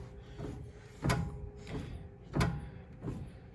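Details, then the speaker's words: Ford Super Duty front end inspection: wheel rocked back and forth produces dull low clunks about every second, drag link end showing a lot of up-and-down movement; worn drag link end. "we got a little bit of up we got look at that one we got a lot of movement going on there up and down"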